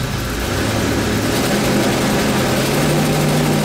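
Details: 1995 RV engine after its seized fuel pump was replaced with a bigger retrofit pump: smooth, steady low rumble with no stumbling, surging or misses; settling into a healthy even idle.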